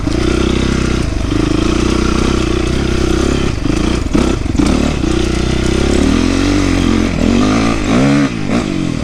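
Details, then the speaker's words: 2008 Yamaha YZ450F after oil, coolant, chain, exhaust clamp, carburetor clean, accelerator pump rebuild and valve clearance fix: single revs up and down cleanly with crisp throttle response, no popping or backfire; popping and weak response fixed. "There's no more popping at all, so that problem was fixed. Also, the throttle response is way better"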